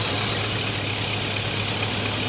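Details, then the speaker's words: LS-swapped vehicle at idle after fitting a shorter belt: steady smooth hum, no rattle; tensioner had been maxed out and bouncing off its stop, causing the rattle, now fixed. "I don't hear any more rattling all right I think putting that shorter belt on there took care of it"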